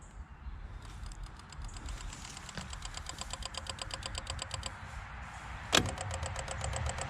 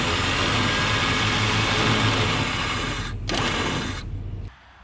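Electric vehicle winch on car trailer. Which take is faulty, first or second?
first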